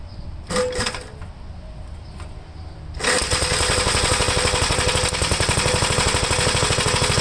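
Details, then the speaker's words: 1973 Gravely C8 single after magneto removal, points cleaned and gapped, replacement carburetor fitted: some clatter, then fires and settles into steady even chug about four beats a second, oil pressure up; normal running. "well that is a good sign try to start it up on chug it's got oil pressure already"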